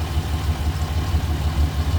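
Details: 24-valve 2.8 VR6 in an MK3 Golf, warmed up: low, even rumble with a steady beat and no knocks, misses or shaky noises; engine idling smoothly, normal warm idle.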